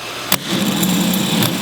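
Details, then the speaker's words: MG starter motor diagnosis: Bendix snaps out, then the starter turns over slowly with a labouring whir; solenoid or starter motor suspected. "you can hear you can hear it it's not not making a good noise you can see that Bendix snap out and then start to turn that time is slow"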